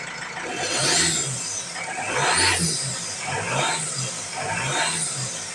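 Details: Ford Transit MK7 2007 2.2 TDCi diesel, after new injectors were fitted and lines bled: the idle surges and sags about once a second with hiss over it; unstable rough idle persists, cause unconfirmed.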